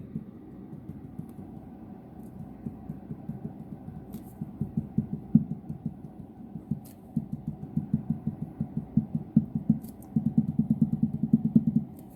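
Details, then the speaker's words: Opel Vectra A front strut Monroe gas shock insert, 30,000 km, no leaks: dull hollow knocks about three a second when pumped, from internal shock wear; a new Lemförder strut bearing did not cure it. "почему во все из того шагас у него есть вот такой стук именно фото месте именно в этом у нас вместе идет этот стук"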